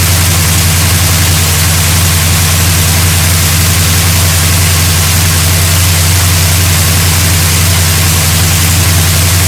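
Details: 1972 GMC Sierra Grande with a newly installed replacement V8 (electric choke, new gas tank), first run in 9 years: steady, even low rumble, smooth unbroken idle, no knocks or misses; running cleanly and healthy.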